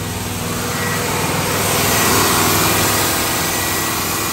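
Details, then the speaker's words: Chevrolet Tahoe idling fast and steady with a slight rev swell after the engine bay was pressure washed; owner suspects a vacuum leak he can't find, plans to replace the intake gasket again. High idle, cause not confirmed. "it sounds like I got a leak somewhere but I can't find it I can't find it at all"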